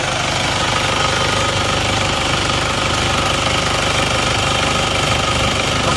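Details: Isuzu Panther 2.5 diesel after engine repair, idling after a 4 km drive with no thermostat so engine not fully hot: loud, even steady clatter, thin exhaust smoke only, no oil-filler smoke where there was some before; normal idle, blow-by cured.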